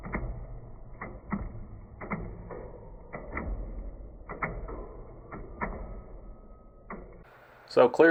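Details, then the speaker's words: Nova engine turned slowly by hand after fitting a new upper and lower timing set, dampener and chain damper: sharp, uneven clicks and ticks, about two to three a second. Valvetrain clatter of unknown cause; new timing set made no difference. "I put on a chain damper I caught on a new timing set that's upper and lower gear as you just saw and I still have the same issue"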